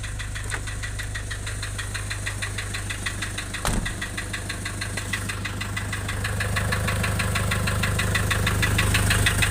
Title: Nissan Urvan Estate ZD30 E25 engine knocking replaced engine block assembly